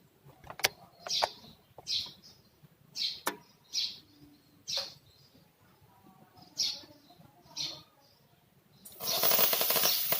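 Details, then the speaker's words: Polytron Slim One 123 CRT TV, hissing "leak" sound like boiling water when switched on: sharp snaps and crackling bursts as the flyback transformer arcs, sparks visible around its rubber; high-voltage arcing risks killing the power-supply switching or damaging the tube. "Jika disetel keluar percikkan api hai hai Hai Coba kita tes ya ntar aku hanya belum diizinkan seperti itu ada percikkan api di sekeliling karet flyback"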